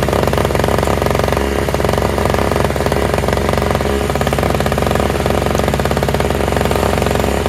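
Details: Toro/Craftsman single-stage two-stroke snowblower with electric start, running on fresh mixed gas after priming; loud steady buzz at constant high speed with no stumbling or surging; all it needed was gas.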